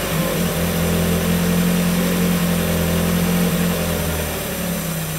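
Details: 1994 Miata NA with 2000 NB engine, first start on Megasquirt and EDIS-4, 4-2-1 header, Yonaka exhaust; after VE leaned from rich, even steady idle with brief gentle rise and fall, no stumbling or popping: smooth running.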